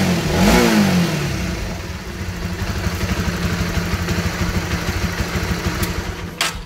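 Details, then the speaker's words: Honda CB150R after readjusting the cam chain tensioner (LAT): throttle blip then steady single-cylinder idle around three beats a second, the earlier top-end clatter gone; normal. "dia sudah tidak bunyi kalkun lagi ya"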